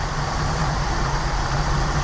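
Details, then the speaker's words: 1988 Jeep Wrangler YJ Sahara 4.2 inline-six, idle mixture being set for maximum vacuum: even, steady low rumble with no stumble, miss or hunting; starts right up, much better than before, about 18 inHg vacuum. "here we go should start right up though it's a lot better than it"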